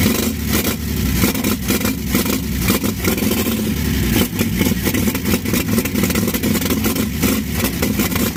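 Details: 1952 Chevy engine at first start, with fresh Autolite plugs and a loose throttle; it runs rough and lumpy with wandering revs and loose top clatter. Owner says the carburetor needs work and saw vapor leaking at the original fuel line outlet.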